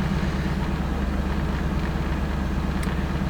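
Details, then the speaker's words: 1988 Chevrolet Camaro IROC 350 TPI, cold start: idles but misfires, stumbling and falling on its face when revved, check engine light flickering, then stalls; no codes stored. Intermittent miss cured by replacing the distributor ignition control module (ICM); the computer was also replaced. "but it is misfiring as well I'll rev it up and you can listen to it stumble so it doesn't want to rev up"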